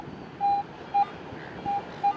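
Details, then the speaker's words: Garrett BFL metal detector with small 5x8 DD coil on salty wet beach sand: short uneven chattering beeps with no target; improper ground balance, fixed by re-ground-balancing. "if I'm not properly ground balanced with a blf detector you're going to hear it start chattering and that's when you got to stop and change and and fix your ground balance"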